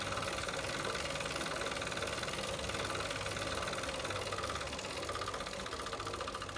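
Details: Tacx Flux smart trainer running: steady whir with a faint whine and a rough grinding pulse about three times a second; cause unclear.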